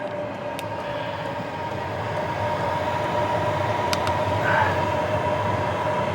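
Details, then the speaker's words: Hcalory Toolbox 2 compact diesel heater, first run once diesel has reached the burner: a steady rushing burner roar under a constant fan whine with no sputtering, kicking in and warming up; clean normal running. "So, as you can hear now, that is really starting to kick in."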